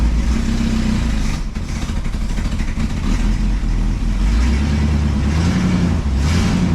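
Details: Cadillac, first start in about 2 months; deep steady burble with smooth throttle blips, even firing, no knocks; oil pressure about 22 rising to nearly 30 psi; running normally.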